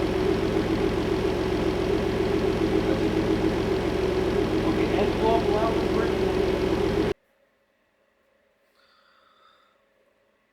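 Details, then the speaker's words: Clifford, after replacing the rod-knocking engine with a new one: even steady idle for about seven seconds with no knock or tapping, then shut off; normal idle. "prob the B cele I put the hood on running without knocking I'll take the"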